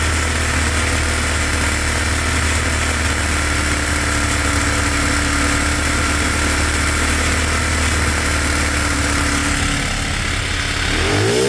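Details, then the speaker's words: Cheap monkey bike (small single) that still smokes after a new head gasket, with new piston rings and cylinder still to order; carb mixture screw just reset. Loud, steady, even idle with a brief rev at the end, running smoothly; nearly dialed in, needing slight fine tweaking. "Sorry for any headphone users, that was very loud. That seems to be pretty good, a little bit more fine tweaking, and I'll be able to get it pretty bang on."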